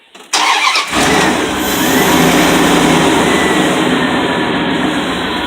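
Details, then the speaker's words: Engine start after replacing an old alternator whose worn bearings squeaked: quick crank, smooth even idle, no squeal, chirp or bearing squeak; charging about 14-15 volts; normal start after repair. "There we go. Look at that. Looks good, sounds good. No more bearing squeak."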